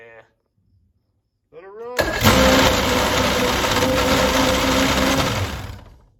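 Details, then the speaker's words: 1980s boat's 125 hp four-cylinder two-stroke outboard: it catches on the crank and runs steady and even with no knocks or misses, and sounds solid. A loose output shaft can be heard jiggling below. "it runs good I can definitely hear that output shaft jiggling down there but motor sounds solid"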